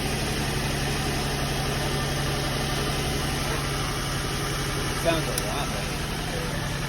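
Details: Nissan 350Z/Infiniti G35 running after a valve cover gasket replacement, reportedly running perfectly with no fuel smell: a steady idle with a raspy, puffing edge over the hum; more than one hole in the exhaust, a new exhaust likely needed.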